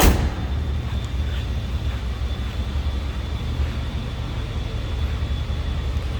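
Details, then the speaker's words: 1976 Oldsmobile 98 Regency hardtop, 455 V8, heard from the rear at the tailpipe: deep, even exhaust rumble with a steady beat, no misses or ticking; normal smooth V8 idle. "This sounds as you'd expect a vintage 1976 455 V8 to sound."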